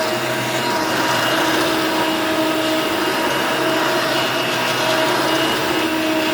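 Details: Hoover Elite Mach 6.0 350 vacuum, running after a lengthy repair: a steady, even whirring hum holding constant with no rattles or pitch wobble, so the motor runs healthy and fairly quiet.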